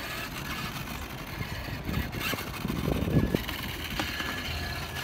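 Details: Brushed 2WD Traxxas Slash RC truck at a skatepark, after the gear mesh was fixed (the gears had pulled apart): steady electric motor whine with a rolling rumble over concrete, no grinding or skipping. The drivetrain runs cleanly.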